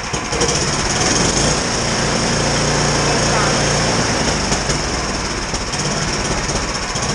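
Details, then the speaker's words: Roughly 17-year-old Sears Craftsman snow blower, small single-cylinder engine, not yet warmed up, after carburetor replacement; uneven, stumbling idle that hunts instead of holding steady, idle set too low and needing more fine carburetor adjustment: rough cold idle. "ID needs a little bit more adjustment but really not warmed up yet"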